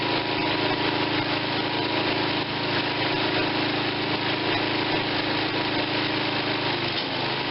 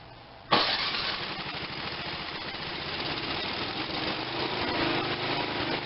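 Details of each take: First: Tecumseh 5.5 hp engine bought with a stuck valve and no compression, carburetor seeming fine: a steady, even buzz with no misses or knocks, running smooth; owner plans a head gasket and a compression retest; normal running. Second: Tecumseh 5.5 hp electric-start small engine with no compression from a stuck valve: it catches on starting fluid and keeps a rough, buzzy, weak run with a slight rise in speed. Engine firing on starting fluid.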